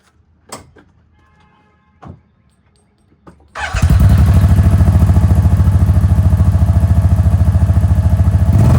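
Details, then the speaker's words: 2023 Kawasaki Teryx 800 4 S SE after fitting a Whiskey Bent Motorsports performance exhaust tip: fires up cleanly into a steady, even exhaust thump, slightly deeper and throatier, not a lot; normal running. "all right so a little throw deer not a lot but I mean you don't really want a lot"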